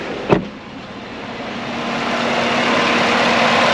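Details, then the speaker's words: V8-swapped Chevrolet Colorado at idle with the AC on, after the tune was fixed so the fan speeds up properly for AC instead of shutting off on high pressure. A big electric fan makes a strong, steady rush of air. Normal cooling fan operation. "Yeah, but that thing's moving some air. That's a big fan, so if it's working right, we shouldn't have any issues at all. But so far, sounds good."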